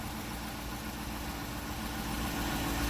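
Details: 2014 Jeep Grand Cherokee with an intermittent click, no-crank, no-start, usually after rain, now started: engine idles evenly with a soft, steady rumble and no misses or clicking. Owner suspects starter connector moisture or a failing solenoid. Normal idle.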